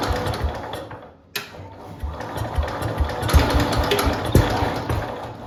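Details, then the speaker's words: 1969–early-70s International Harvester Cub Cadet 126 garden tractor, single cylinder, long-stored; sputters then fires on starting fluid with throttle at full, racing hard, fast and uneven until turned down. "So close. Whoa. Holy crap. Turn that down from full throttle. What just happened?"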